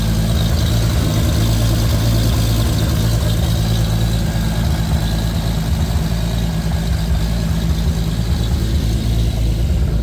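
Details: Lexus IS300 with swapped 2JZ-GTE six, Fueltech FT550 base tune, first start-up: deep, steady idle with an even, smooth beat and no misses or knocks; runs and idles great.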